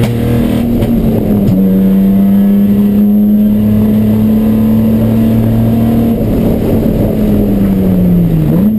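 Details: Chumpcar race car on track at Watkins Glen, where the misfire began midday Saturday. A steady high drone with an uneven, stumbling beat through it: misfire under load, cause not yet found.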